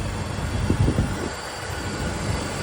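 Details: 2005 BMW E46 330i ZHP petrol engine after DISA valve reinstalled, restarted and idling with a steady, low rumble and no intake rattle; earlier the DISA valve was noisy and needed replacing.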